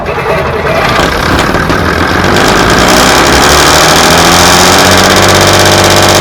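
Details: Class 117 DMU 51412 diesel, first start in 5 years after bleeding fuel air via the hand lift pump: catches and settles into a steady, even beat of about three per second, smooth idle around 500 rpm, no misses; healthy.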